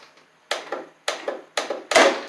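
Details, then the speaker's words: 2018 John Deere D140 riding mower, 22 hp Briggs & Stratton twin, that was blowing fuses: several sharp clicks in quick pairs with no cranking. Clicking, no crank; needs a new starter solenoid. "okay so there we go we got it clicking now so that's"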